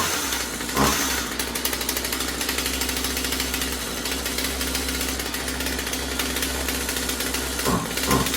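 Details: Husqvarna 36 Special vintage chainsaw after replacing corroded fuel lines and filter and resetting carb high and low screws (previously maxed out) to one and a quarter turns: steady high idle with brief blips, no stalling or bogging; runs cleanly.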